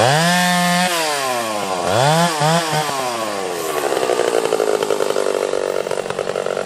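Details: Freshly ported Stihl 031 AV two-stroke chainsaw, exhaust port roof raised and transfers cleaned up: winds up to a high steady scream, then bogs slightly and chatters evenly biting wood; sounds perfect, like brand new; normal under load.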